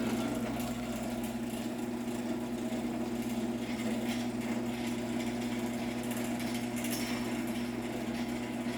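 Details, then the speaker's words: Late-1980s LiftMaster 1050-6 garage door opener with a loose chain, running the door down: steady droning hum with a rough, gritty edge; quiet on the rail but noisy off it, and the motor needs a rebuild. "It's definitely more so off the rail that you can hear how bad this thing really sounds. So it's probably fine to put it on doors. It just will need to be rebuilt at some point if I want it to sound normal."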